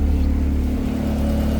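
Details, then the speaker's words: Nissan R34 Skyline with Beams engine and turbo on E85, idling after fuel system work, lambda near 1. Steady, even idle with a low, smooth hum and no knocks or misses. Owner suspects the turbo is failing when revved toward redline. "So, I let it idle for a while. Everything's still running fine."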